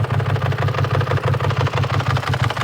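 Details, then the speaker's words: BMW E39 540i V8 idling hot after first drive, oil light on: hard regular pulsing thump over rough drone, getting louder; owner suspects lost oil pressure and cooked heads or engine, possibly oil run out. "it's actually starting to sound kind of bad I think I might have just blown the heads up a little bit"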